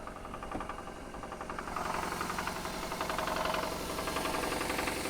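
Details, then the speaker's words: Supercharged Jaguar XF at an auction yard, idling. A steady knock of roughly four per second through a quiet idle; definite engine knock, possibly a rod problem, judged a deal breaker. "that's a definite knot yeah that's not let me close this real quick yeah that that's a deal breaker right there"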